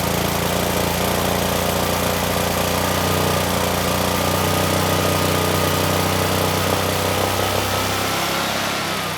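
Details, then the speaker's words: Generac 20kW standby generator, GTH-999 999cc engine on propane, glitter in oil: catches and runs rough with a labouring drone, pitch slowly creeping up as it struggles to governed speed; rough running after start, not yet making power. "Uh, but the engine did start, although it really struggled once running. Uh, but it did finally get up to speed."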